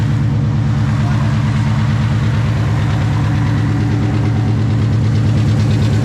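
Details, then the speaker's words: Coyote-swapped, Whipple-supercharged 900 hp Fox body Mustang on E85, cold start: steady lumpy idle with a regular low knock just under two per second over the exhaust, heard worse from the bottom; source unknown. "Alright, so these here, we've got a little bit of noise. I think you can hear it worse from the bottom."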